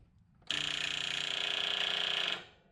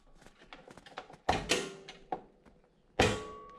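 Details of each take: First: Toro TimeCutter zero-turn mower no-start, key turned to crank with a test light on the solenoid output showing only a faint glow: rapid thin buzzing chatter for about two seconds, no cranking. Likely faulty starter solenoid. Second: Toro TimeCutter zero-turn mower, key on, PTO switch pulled up: several sharp clicks and thunks from the rear as the PTO clutch engages, showing the PTO switch is good. Normal engagement click.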